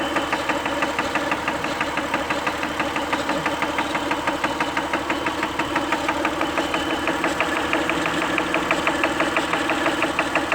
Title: Ticking noise Acura help!